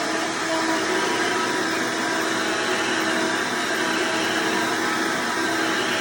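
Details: Hoover Elite vacuum owned since May 2024, bearings greased, after replacing the 7-blade fan impeller with a 20-blade upgrade: loud steady high whirring, even pitch, no rattle or scraping; noise reduced but still somewhat loud; normal motor running.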